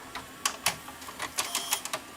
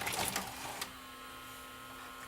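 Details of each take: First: there we go no more eating tape that was all that's wrong with this machine Second: Old Panasonic VCR during playback: steady low hum with irregular clicks and ticking from the transport, picture shaking horizontally; the mechanism is chewing the tape.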